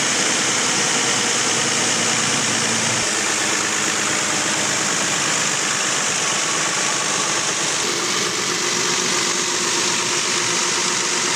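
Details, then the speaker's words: Nissan Xterra idling nearly six years after a repair job done in August 2016: steady, even idle with no knocks, rattles or chain slap over the hiss; engine healthy, normal idle. "So it's nearly been 6 years since I've done that job, and it still runs great."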